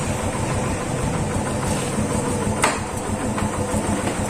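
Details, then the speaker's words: Yamaha FZ150 single after timing chain repair that cured top-end noise; smooth, even idle with a soft steady beat and no ticking or clatter, healthy where before it was "singing". "Yan mga brothers, tahimik na tahimik oh. Okay na. Dati kumakanta."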